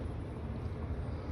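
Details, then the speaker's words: Honda D16Y8 VTEC after lost motion control assembly (LMCA) repair for a valvetrain tick, first cold start of the day after sitting overnight: even, low idle rumble with no ticking; it runs and doesn't tick, left to warm up. "oh boy all right so it runs it doesn't tick uh yeah this is the first start of the day it's been sitting all night so i'm letting it sit here and warm up"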